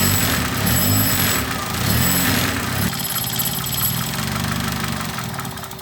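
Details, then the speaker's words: Car that died and would not restart, after fixing the alternator's output to the battery and replacing the blown 30 A main fuse. The engine catches and settles into a steady, even idle with no knocks or misses: normal running, with a test drive still pending. "Problems with the alternator output to the battery as well as with the um 30 amp fuse that blown, main fuse that blown. But, as you saw um seems to be running."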